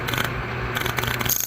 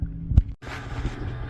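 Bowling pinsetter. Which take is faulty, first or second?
first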